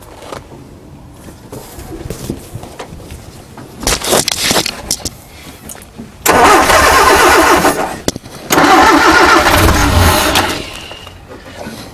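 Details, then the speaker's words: 1968 Commer 2500 van, out of gear, butterfly choke needing to be a fair way on: long, uneven cranking bursts with stumbling catches that never settle. Carburetor suspected if the spark and advance check out okay. Hard starting. "It needs more choke to actually start. That's one of its symptoms."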